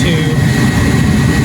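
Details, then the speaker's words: Vintage Air SureFit A/C kit #941170: ignition on, blower on high, calibration spade connector grounded with a jumper. A steady blower rush with a faint whistle shifts speed as the controller learns its upper end. "Once that's plugged in, you can hear the fan, it changes speed. That's learning the upper end."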